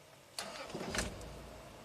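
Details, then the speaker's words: 2002 Toyota 4Runner SR5 4WD, 3.4L 5VZ-FE V6, 175,000 miles, restarted right after shutdown while warm: short crank catches almost at once into an even idle, seems normal; the long crank is suspected to come after a hot soak, probably lean. "okay seems to be normal now"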